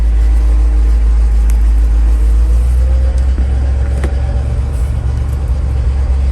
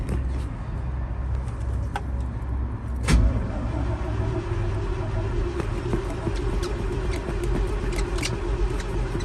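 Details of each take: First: 1988 GMC 7000 boom truck, big-block 366 V8, idling with hydraulics disengaged so it's just the motor: deep, steady low rumble, even pulse, no ticking or misfire; smooth runner, normal idle. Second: GMC 7000 boom truck, 366 big block with electric fuel pump, 80,000 miles, in neutral, cold start on half then full choke: steady slow starter churn, about two a second, for many seconds without catching. A long crank with no start.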